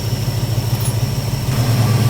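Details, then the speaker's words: 1974 Plymouth Duster that sat a long time, with carburetor idle problems: after adjusting the carb linkage play at idle, it settles into an even, steady low idle with no stumble or hunting and sounds better. "Sounds better. All right, let's button it up."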